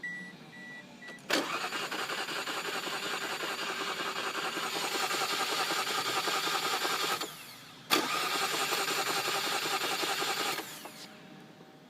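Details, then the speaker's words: 1995 Mazda MX-3 1.8L V6 that died while driving; new cap, rotor and plugs fitted, timing belt seen spinning; steady, fast cranking in two long bursts with no firing at all; crank, no start, cause unknown. "mark the bottom pulley bolt belt and it's spinning find it swirling over like there's nothing there new cap on it new plugs rotor still nothing starting"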